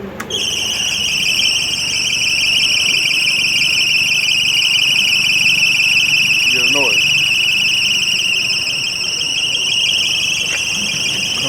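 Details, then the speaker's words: Motor running with belts moving, with no charger connected; piercing steady whine near 3 kHz over a faint motor hum, absent when the charger is hooked up; source of the high-pitched whine undetermined. "Turn it off. The noise stops. Running like a top. No charge. Sounds like shit."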